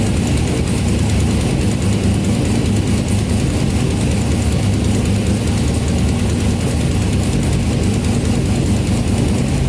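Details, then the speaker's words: Turbo Escalade V8 with 5-inch Duramax exhaust at idle: deep steady note with a faint rapid ticking from exhaust leaks at pipe joints in the lower section. "it does have some leaks i can hear it kind of ticking some exhaust leaks coming from this section down here"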